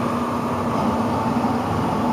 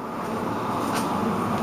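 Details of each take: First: Blower on a newly installed N4H3 heat pump (Ohio trailer unit) at first start-up after vacuum and charge release: steady loud droning rush with low hum and a higher tone; the blower sounds wrong, cause unclear. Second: let's go turn on the blower i mean you know we've checked the whole thing and it's good to go right sounds good so far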